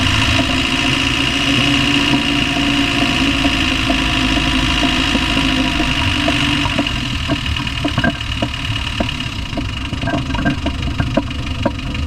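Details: Land Rover Discovery 1 300Tdi diesel idling with sharp, slightly uneven ticking knocks over the clatter; knock from inside the engine, cause unknown, owner asks what it is.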